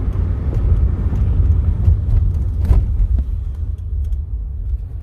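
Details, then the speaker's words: 2006 Chevrolet Impala SS, test drive at speed after replacing noisy, grinding wheel hub assembly: steady low road rumble, no grinding or rhythmic hum from the wheel; noise completely gone, hub quiet and healthy. "and i don't know if you guys could tell the difference from when before i changed it so now way quieter mice is completely gone"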